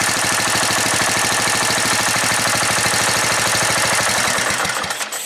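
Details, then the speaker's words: Riding mower single-cylinder engine after carburetor rebuild with ultrasonic cleaning: fast, even firing with no misses or stumbles, settling smoothly as throttle drops, sounding like a brand new carburetor; normal idle. "Alright, it sounds very good on low idle. Sounds like I put a brand new carburetor on it."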